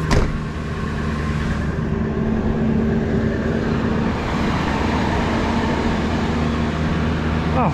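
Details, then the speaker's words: 2002 Ford F-250 with the 5.4 Triton V8 at 86,000 miles, listed as inoperable at auction, started after a doubtful battery. It runs evenly with a steady low drone, a door clunk in the background; healthy engine. "86,000 miles and here goes cranking booah thing runs perfect listen to that"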